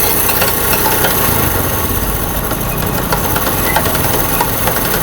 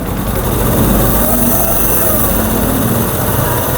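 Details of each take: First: Honda CD70 motorcycle running in first gear at slight throttle: loud, uneven clattering knock from a broken first-gear tooth; third gear gives a rubbing noise, second and fourth quiet; engine to be opened to replace gears. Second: Honda CD70 after repair of broken gears that caused 1st-gear clatter and 3rd-gear rubbing: in gear with clutch and brake loading it, the small single holds a steady even beat with no whine or grinding; gearbox now normal.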